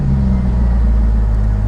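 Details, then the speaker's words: Salvage-title C5 Corvette V8 idling before oil pressure switch/sender replacement: a smooth, even rumble with no ticking or knocking. Gauge readings jump from 80 to 0 to 102, yet the absence of oil pump noise suggests the oil pressure is good and the sender is faulty. "if you can hear the engine in the background like i said it's not making any nasty noises which is good because those nasty noises would mean that the oil pump is bad and the engine is by now junk but uh we're not hearing that"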